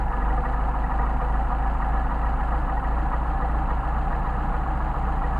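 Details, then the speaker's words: Mercedes 190SL twin carburetors on test, idle mixture screw reset to its sweet spot after being turned too far; deep steady idle with even beat, rpm picked up, no stumbling or hunting, running smooth. "nicely smooth down picked up the RPM and as our sweet spot right there"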